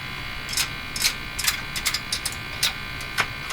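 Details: Silvertone 101-583-2 multiband tube radio, running after a fix for an overheating field coil: irregular sharp crackles and pops over a faint buzz, flaring whenever parts are tapped. Suggests an intermittent connection, cause unconfirmed.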